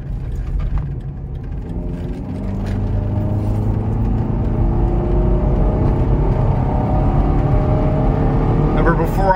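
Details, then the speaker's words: Stalling $600 Chevrolet Cavalier convertible revs smoothly and cleanly with no stumble or bog after throttle body and mass airflow cleaning. It used to fall on its face when revved; clean rev response. "tried doing that and it would just uh basically fall on its face so something i did obviously improve something"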